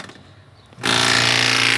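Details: Funkitchen bread maker: motor starts with a steady whir but the kneading paddle stays still; a snapped drive belt is suspected.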